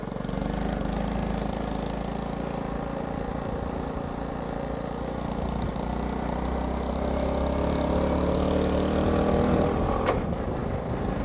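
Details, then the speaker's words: Old Honda C90ZZ (Cub) small single, not run in a long time, timing set well forward; idle stays high and buzzes fast and even without dropping back. Needs adjustment, cause not confirmed. "If it would just calm down on the revs, that would be nice. See, listen to that, the revs are staying high."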